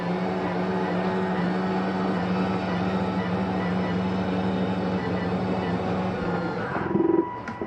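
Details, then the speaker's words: 2023 Jayco Eagle HT 280RSOK travel trailer, slide-out S2 retracting with drawers closed: steady, even electric motor drone for several seconds, then winding down; normal slide-out retraction. "now we're just gonna hit retract see the importance of having these drawers closed they utilize every inch on these things"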